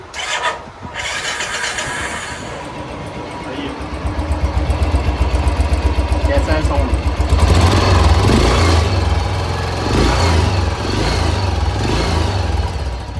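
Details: Royal Enfield Bullet single-cylinder after engine opened and rebuilt for a loud engine noise complaint: short crank, then an even steady thump settling into idle with no top-end ticking or clatter; noise gone, normal idle.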